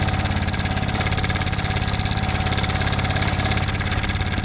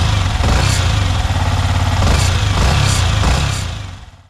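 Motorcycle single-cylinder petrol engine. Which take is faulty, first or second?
first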